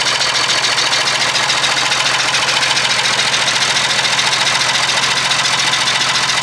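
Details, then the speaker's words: Perkins 6/354 diesel in a White Super Power truck, first run after many years: lumpy uneven idle with chuffing tap three or four times a second; rough running, owner suspects loose tappet or stuck valve chuffing out the inlet. "I reckon there's a loose tappet or something the valve might be stuck because it's tapping and it's chuffing out the inlet"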